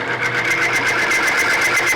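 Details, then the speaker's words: Timken bearing test machine running Mobil 1 oil under two weights: harsh, high scraping whine with a rapid pulsing beat as the oil film breaks down and the test specimen scuffs. "as you can hear two weights right here m one PR go all out there supposedly and it's just getting tore up"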